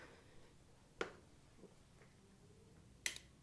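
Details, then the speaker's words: Honda CRF450RL that won't start: a couple of sharp relay clicks at key-on with no fuel pump prime hum following; the owner suspects a failing fuel pump. "sometimes it doesn't but you can hear the relay clicking so we'll try to crank it one more time see if it does anything so I heard the relay but nothing on here no no fuel pump Prime"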